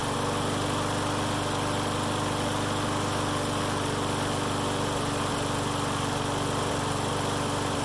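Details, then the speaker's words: Mower that started then died, after draining bad fuel and refilling with fresh gas, running without air filter: steady, even drone at constant speed, no hunting, stumbling or misses; runs normally. "And then so I just pulled the tank off again, dumped all the fuel out, blew it out, and put good gas in there, and now it runs fine."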